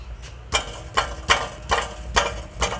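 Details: Rough, raspy growl pulsing about twice a second over low engine idle from underneath a car with almost 200,000 miles, codes P06DD, P0430, P0420; owner reported a ticking noise, but it is not a tick.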